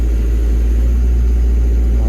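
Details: Develon diesel, after joystick plate adjustment, part lever up: deep, steady, even idle rumble with no knocks or rattles; auto idle working, showing the plate is not too tight.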